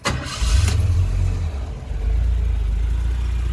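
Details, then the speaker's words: Carbureted 1981 Jeep CJ-8 Scrambler after a frame-off restoration, cold start: it catches after a brief crank, first try, and settles straight into a smooth, even low idle, a clean healthy start. "without fuel injection this thing fires first try every time really run smooth"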